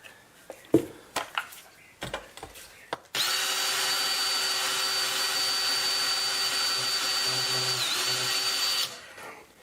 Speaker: now you can hear them let's see I don't know if this will work yes it is working but barely